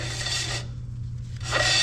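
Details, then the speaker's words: Equipment trailer wheel hub spun by hand after seating the bearings and backing off the nut: light dry rasping scrape from the brake shoes rubbing, which is the expected adjustment. "You'll hear your brake rubbing, which that's pretty what's said about where it needs to be."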